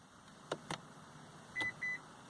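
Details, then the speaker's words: Lexus RX 350 after a dealership visit: pressing the power tailgate button gives two soft clicks, then two short high beeps, and the tailgate does not move; the key fob gives the same two-beep refusal because the power tailgate is switched off. "two beeps and the tailgates doing nothing and I manually opened up the tailgate let's try it with the button here and you'll be able to hear it so again two beeps"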